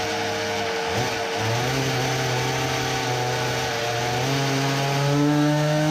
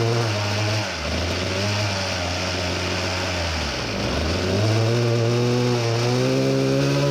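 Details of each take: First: Tuned Samurai 40cc two-stroke with a new cylinder on a dyno after a larger main jet; buzz climbs a little then hangs flat and strained, giving 3.13 hp against a previous 3.63. It will not rev under load as it did freewheeling, and the sputter is gone. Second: Samurai 40cc two-stroke on dyno after turning head for deeper chamber, lower compression, better-exposed plug: clean scream to 14800rpm, max 4.23hp at 14700rpm, new power likely from head modification.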